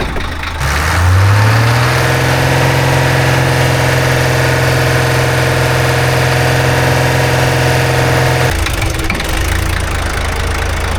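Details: 1985 Ford Hino diesel truck with a decompression lever, brought back to life: it catches and settles into a steady, even idle with a smooth low rumble and no knocks or misses; sounds healthy.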